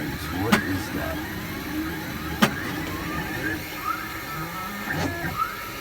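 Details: XYZ Da Vinci Pro 3D printer during a print, banging for 17 hours: three sharp, loud bangs at uneven intervals over the chirping whir of the motors. Loud intermittent banging and clicking of unknown cause.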